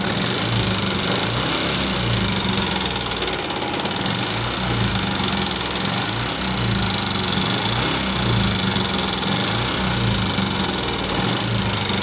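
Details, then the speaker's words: 2014 Yamaha Jupiter MX carburetor motorcycle idling with a rough, fast, harsh metallic "kletek-kletek" clatter over the beat; top-end ticking judged serious, likely requiring engine teardown, exact cause not yet confirmed. "Nah, ini kan suara kasar seperti ini termasuknya berat nih teman-teman. Karena apa? Ngeletek-ngeletek, minimal itu harus bongkar mesin ya kan."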